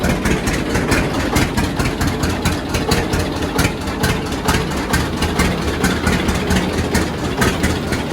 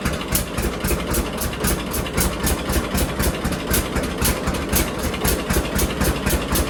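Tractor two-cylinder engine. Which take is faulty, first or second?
first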